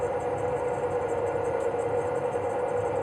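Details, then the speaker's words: Swegon Casa W80 heat-recovery ventilation unit, fan motor with impeller cleaned, running alone with the other motor disconnected: smooth even steady mid-pitch hum, no rubbing or wobble; slight hum at switch-on expected to fade over time. "нажали концевик да при включении есть немного гудения да это со временем пройдёт"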